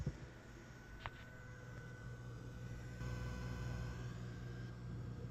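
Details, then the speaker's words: Turntable hi-fi at high volume: faint hum with a thin steady whistle, conducted switching noise on the mains from the original JBL Horizon switching power supply; noise vanished when the power strip was switched off. "para ouvir um barulhinho. Agora vou matar esse barulhinho. Esta fonte original da JBL tá causando ruído."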